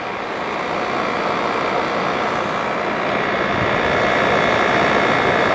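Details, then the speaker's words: 1988 Fedders Cool Tote Slim 5000 BTU air conditioner, low fan: steady fan rush with only a soft hum, no rattles or knocks; compressor super quiet, barely audible, unit cooling normally and healthy. "Wow, that compressor is super quiet. You can barely hear it."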